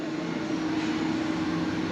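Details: Mazda 13B rotary, freshly rebuilt with new non-carbon apex seals, fuel return removed: steady even rotary drone at constant pitch, no misses or knocks, strong compression; normal running.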